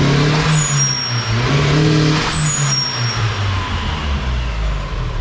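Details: Mazda Miata just turbocharged and freshly tuned, first running: pulls smoothly up the revs with a brief turbo whoosh on each lift, no knocks or misses; normal revving.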